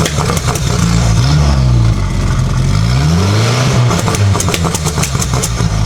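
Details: Junkyard-turbo 1969 MGB (modern SUV turbo) with homemade anti-lag, new head gasket and fender-exit exhaust, base ignition timing retarded further: revs rise and fall, then sharp irregular cracks and pops from the exhaust. Anti-lag popping from retarded timing.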